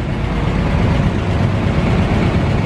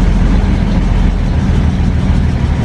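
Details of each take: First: 1940 Dodge VK62B 3-ton ex-RAF truck, petrol, started after months unused on old fuel, choke eased off: now warmed through, low even steady rumble with no misses or knocks before driving out; normal warm idle. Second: 1940 Dodge VK62B 3-ton transporter, cold start running on poured-in fuel then drawing quite old fuel from the tank, with choke on: heavy low rumble wavering and stumbling unevenly; rough running, cause unconfirmed.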